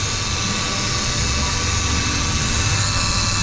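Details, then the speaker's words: Engine running with the AC on; the car is blowing hot air and vent temperature reads 60–66. Under the hood, a constant loud high-pitched scream over the engine that doesn't change; the AC compressor is screaming. "Wow, that compressor's screaming. You hear that thing?"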